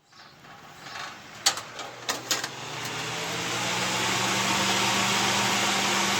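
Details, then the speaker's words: Vintage window fan, one of three rescued from an attic and cleaned up: clicks at switch-on, then a steady hum and airy rush that climbs and settles; small fan runs fast, moves more air than the last; normal running. "this thing is tiny and this puts off more air than the last one this one's awesome that runs super fast"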